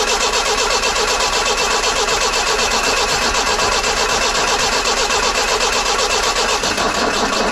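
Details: 1968 Datsun 510 after new spark plugs and a new fuel pump, healthy battery: steady, even cranking about two and a half turns per second, no catch; cranks but won't start, owner suspects fuel pump still priming.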